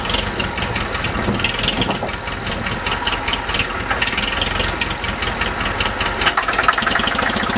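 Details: Restored Farmall Super MTA diesel tractor with the rear engine seal replaced and a small oil leak remaining, just started: catches quickly and settles into a steady, even idle clatter with no misses or knocks. Normal diesel idle after start.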